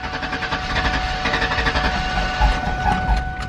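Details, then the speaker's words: Station wagon first start after new ignition parts fitted: uneven idle with irregular heavy thumps about every second; misfire, owner suspects plug wires mixed up, e.g. cylinder three put on four. "she is definitely not happy so my only thing is um possibly these three are off because it's so hard to see so maybe you know like cylinder three i put it to four so it's not firing the correct ones"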